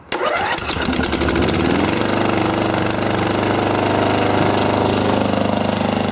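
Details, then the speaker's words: Custom riding mower/go-kart with a newly fitted exhaust and no muffler, started in cold weather: cranks, catches and settles into a harsh, very loud, rapid bark from the open pipe. "wow that's loud that's really loud wonder how it sounds and backfires that might hurt your ears"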